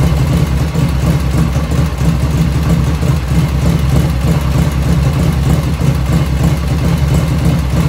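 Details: 1985 Harley FXR V-twin idling just after first start, still cold at about 49°F ambient, right after a float setting: deep, loping idle at about three beats a second, steady, with no top-end ticking, lifters dead quiet; normal idle.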